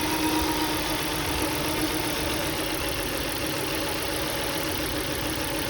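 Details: 2003 Volvo V70 2.4 four-cylinder: idle stumbles and shakes unevenly at roughly four pulses a second; misfire code 3502, ignition coil suspected as cause.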